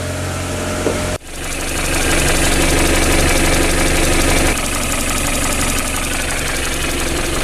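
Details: Petrol project car just started after fitting a new battery (old one tested weak, hard starting), idling steadily with an even, low pulse while warming up; normal idle.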